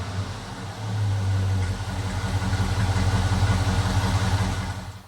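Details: 1977 Ford F150 with LS engine swap, fired up again after a first start-up with a slight initial stumble and a leak check, revved: deep, even V8 note swelling briefly with throttle then settling, no misses or knocks; runs healthy.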